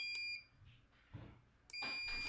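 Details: Micro switch (from a portable crane CCTV camera) after cleaning its contacts, tested with a meter. Two sharp, high continuity beeps sound as it is pressed: contacts close cleanly, switch working.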